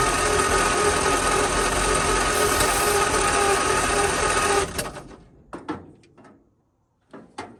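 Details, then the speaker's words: 1940 or 1941 Ford truck, flathead V8, sitting about 50 years, first start attempt: starter churns evenly about four beats a second for several seconds without catching, then a few clicks; owner wonders about compression, a plug wire fell off, spark then checked. "looks like I was wrong I wonder if she just don't have any compression or something she didn't even try"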